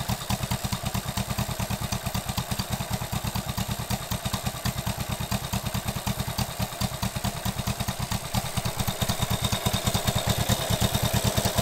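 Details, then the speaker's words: 1967 Honda CB77 Super Hawk twin after cylinder and head gasket oil-leak repair, idling on a humid morning; strong even exhaust pulses, slightly lumpy but healthy; carbs need more tuning. "it cleared up after a couple more minutes sounds pretty good needs quite a bit more tuning"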